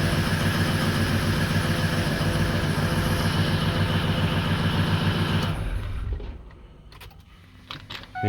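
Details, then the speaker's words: 2004 Ford 6.0L Powerstroke diesel with a crank-no-start fault, started with the ICP sensor unplugged: clattering, uneven, shaky idle for about five seconds, then it dies; injection control pressure too high at idle, stuck around 1400-1500 psi. "now granted it doesn't run great because you got too much pressure um at idle"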